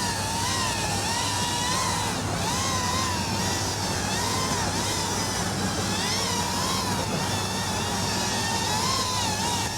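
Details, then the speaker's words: Mobula 8 frame quad, 1003 14800kv motors, 2-blade 2015 props, Betaflight master multiplier 1.0 after RPM filter tuning: even, clean high motor whine swelling and dipping as it sweeps back and forth, no oscillation; smooth normal tune. "Pretty damn smooth. I guess at this 1, it would be less reactive and maybe feel a little sluggish, but since I'm not in the goggles, like, can't really notice."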